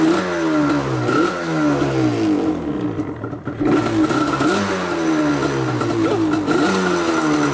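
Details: Yamaha Banshee two-stroke twin, rarely ridden: on a kick start with choke it revs up and down with uneven popping blips and a ragged note as one cylinder misfires. Owner suspects a fouled spark plug.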